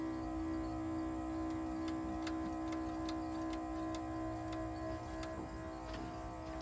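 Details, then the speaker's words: 1966 Jeep (Kaiser) Gladiator with 327 Vigilante V8, first run after fuel-system work, no fuel leaks: steady fairly high hum with light ticking, idling well above normal; owner suspects choke/idle screw adjustment. "that ran smooth at really high RPMs uh must be the choke adjustment for this this is just a screw over there"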